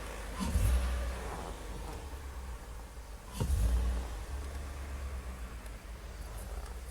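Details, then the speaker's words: 2011 Ford F-150 6.2L at idle after start-up: low idle rumble surging heavily about every three seconds. The truck runs poorly and sometimes stalls in drive, despite new cam and crank sensors, O2 sensors and fuel pump. Rough idle, cause unclear. "here we go to the 2011 Ford F-150 a 6.2 liter rough idle when you hop in to the truck and you start it up see how it idle is there you hear it listen"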